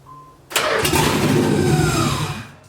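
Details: Nissan 300ZX with an LS V8 swap and a newly sourced engine harness, first startup: the starter cranks and the V8 catches with a sharp bang and a rough, loud run that fades within two seconds; a first start was planned without the fuel pump relay.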